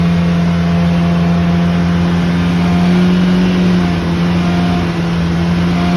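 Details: Loud, steady low drone holding one pitch over the running engine; abnormal noise, source not pinned down.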